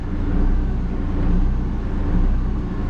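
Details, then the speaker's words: New Quantum marine diesel at first fire-up, idling unloaded: a deep rumble swells and eases about once a second, bouncing 590–600 rpm. Mild hunting that goes away after break-in or under load on sea trial. "um and certainly as soon as we load the engine up take it out on sea trial or something this goes away pretty quickly bouncing 590 600 590 600."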